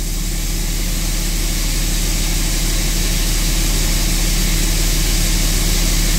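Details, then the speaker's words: 2004.5 Ram 3500 diesel idling after heating cycle, following slow-start and rough-idle complaints; steady, even clatter with no hunting or stumble, idle now smoothed out; normal idle. "Idle smoothed out."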